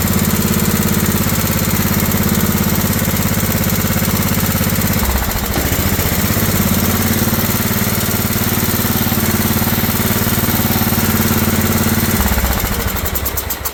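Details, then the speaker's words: Old Craftsman riding mower single-cylinder engine with new carburetor, fuel filter and air filter, started on starting spray: fast steady idle well above normal with no dip or hunting; idle too high, to be adjusted at the carburetor. "Well, that was uh easy enough. It's idling pretty high."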